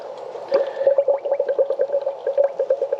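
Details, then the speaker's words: 2005 Chevy Impala after rack and pinion and power steering line replacement, engine off, wheel cycled lock to lock: rhythmic gurgling like a toilet flushing as air bleeds from power steering fluid. "You hear that air coming out? Sounds like a toilet flushing. Yep, it's definitely bleeding."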